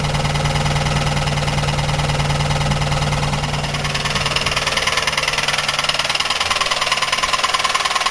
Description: Buick 3800 with rod knock. The problem is on the rod end with the wrist pin and piston.